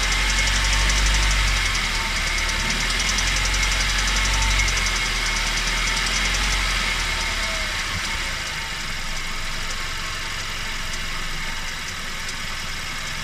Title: What is that weird noise